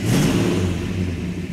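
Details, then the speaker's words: 1967 Plymouth GTX 426 Hemi four-speed convertible, before its first drive, just after firing up: deep, even V8 rumble holding steady, no knocks or misses; sounds healthy, normal running after start-up. "okay i'm gonna fire it up okay [Music] that sound nice oh"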